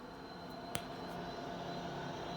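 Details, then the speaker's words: 1987 Conner CP-321 hard drive after half an hour of slow, repeated spin-down and spin-up without erroring: steady high-pitched whir with a single sharp click. Abnormal drive noise; owner suspects the heads rather than the platter motor, not confirmed. "i left it on for like a half hour listen to that thing making a weird noise and yeah it'll slowly progress it doesn't error out or anything but it's so slow and now it's making a weird noise so i guess the next step is just to open it up"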